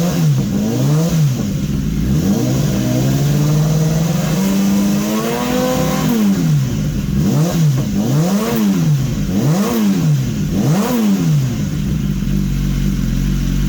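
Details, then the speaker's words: 2015 BMW S1000RR, warm, with the engine from a crashed bike swapped in, running a fuel additive to clear carbon and old race fuel: crisp, smooth free revs returning cleanly to a steady idle with no knocks; sounds healthy. "sounds pretty good pretty pretty pretty pretty good"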